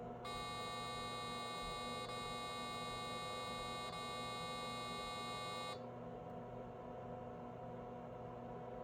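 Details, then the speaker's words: Unbranded circa-1990 386 laptop (Nan Tan 8100), first power-on: a single long high beep of about five seconds over faint power supply hum, a POST error beep; owner's first guess is RAM, not confirmed. "Well, the board's doing enough to throw out an error beep. My first guess would be RAM."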